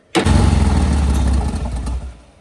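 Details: VL Berlina turbo build being cranked after coil/lead changes and fuel-pressure worries: engine catches instantly and runs with a low rumble that eases off after a couple of seconds; it starts fine.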